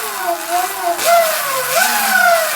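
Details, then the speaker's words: Sur Ron electric bike after jackshaft replacement fixing a clanking noise; clean motor whine rising and falling with throttle blips, no clanks or rattles, drivetrain normal. "i got finally got everything on there and hopefully it'll be silent when i uh give it throttle all right it's good perfect"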